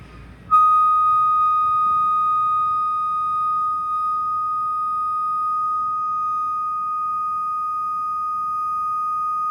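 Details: Acer laptop gives a loud, steady, high-pitched continuous tone that starts abruptly at power-on and never wavers; it began right after the SSD and keyboard were replaced.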